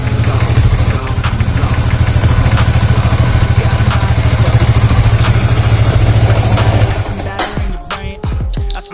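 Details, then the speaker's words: Yamaha Vixion motorcycle, previously hard to start: the starter motor (dinamo) wouldn't turn and only the relay clicked, so the starter was dismantled and checked. Now a steady, even low single-cylinder idle thump with no misses or knocks. Normal idle after the fix. "Kalau sudah dilepas, kalian cek Sekali lagi, ya kan? Oke, sekarang sudah normal."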